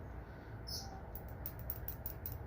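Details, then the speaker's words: Fuel injector removed from the vehicle and pulsed on a $10 eBay injector cleaning kit, tapped by hand. This is a known-good injector: faint crisp ticks a few times a second show it activating normally. "you can hear it activating"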